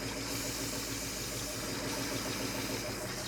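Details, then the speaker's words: 1967 Ford F-series truck V8 (H says V8) at a steady, even idle with no misses or knocks. Heard after the accelerator pump was confirmed working and before a compression test. Starter suspected loose. Normal idle, shut off to avoid overheating. "I'm going to say it's good yeah I think it's all right all right shut it off so it doesn't get too hot"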